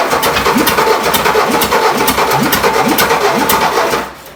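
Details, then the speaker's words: 1959 VW Beetle sitting about 45 years, first start attempt; starter churns about three beats a second with weak pops trying to catch but never runs. "She wants to start. Yeah, almost there."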